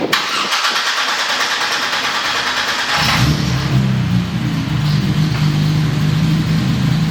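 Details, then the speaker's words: American Supra 4200 engine on the dyno, clattering when put into gear, then on restart sounds like it's coming apart: rough cranking, harsh rattling clatter once it fires, settling to a busy idle. "The one pull, when I put the car into gear, it made sort of a clattering sound, and both Dustin and I sort of squinted and stared at the engine bay like, what the heck was that? And on the next time when we tried to start the engine, it sounded like the engine was trying to come apart."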